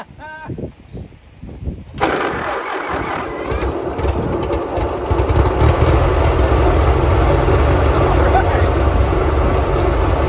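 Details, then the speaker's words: Abandoned Ferguson TO-35 loader tractor, reportedly with a broken shift fork in the transmission, started after years sitting: starter churns briefly, engine catches and settles into a lumpy, uneven low idle; rough running. "know yeah what do you say guys that ain't too bad kind of sounds like a dog into a bucket but I mean I would expect nothing less"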